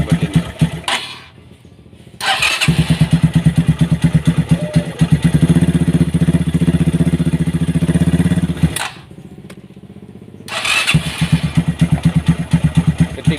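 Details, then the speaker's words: Motorcycle on its third repair after an earlier piston seizure, running with the valve cover off: an uneven, dry, rough tapping from the top end, cutting out twice. Oil is not reaching the cylinder head and the valvetrain is dry. "Jadi, jika oli tidak sampai ke kepala silinder, suaranya akan sangat kasar."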